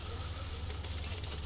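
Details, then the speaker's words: Hyundai Aura CNG idling with uneven, lumpy hunting and blinking check-engine light, no scan codes: cylinder 4 dead, its spark plug black and ignition coil getting no current; replacing the coil made the engine silent with no misfire. "चार number cylinder काम नहीं कर रहा बिल्कुल भी देख सकते हैं फ्रेंड्स इंजन हमारा स्टार्ट है चार नंबर कॉइल है जो यह इसमें करंट नहीं आ रहा है"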